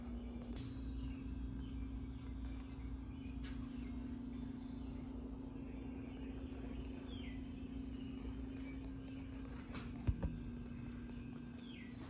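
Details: 52" Harbor Breeze Lakeside II ceiling fan before restoration, runs only on low at all three speeds, downdraft: steady, fairly loud low hum at one pitch, birds outside; bad, cracked, partly melted capacitor.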